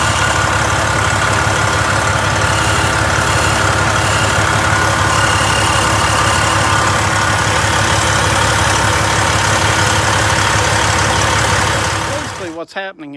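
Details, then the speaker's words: 2007 Freightliner Columbia, 14-liter Detroit Series 60 diesel at idle: loud puffing tick about three a second from a blown turbo manifold gasket leaking exhaust, very loud whenever the turbo engages while driving. "I'm pressing down on the tube and it's making that horrible sound but when I'm driving it down the road every time the turbo engages you hear that very very loud so I've got to get to the root of the problem and see what's leaking and see what's broke"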